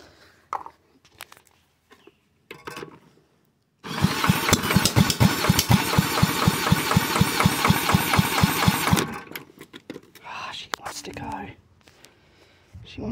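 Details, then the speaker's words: Side-valve Villiers Mark 10, not run properly in 30-40 years, ignition just fixed, choke off: regular chuffing about two beats a second for five seconds, then dies; owner suspects fuel starvation. "damn she wanted to go [Music] i feel like it's being starved to fuel at the moment"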